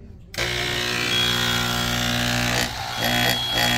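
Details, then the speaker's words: Level1 Rapid Infuser pneumatic air pump, excessively loud: steady buzzing hum with high whine; loose shoulder screw lets pump vibrate and bounce off its mounting bracket, mounts still good; tension on it stops the noise. "it's excessively loose so the pump is allowed to vibrate it's it's actually bouncing off this mounting bracket"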